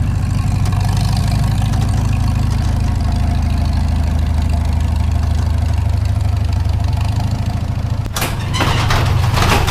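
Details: Farmall Super M tractor engine, before the rebuild: steady low idle with an uneven, dull knock repeating a few times a second under the rumble; knock at idle, source still unknown.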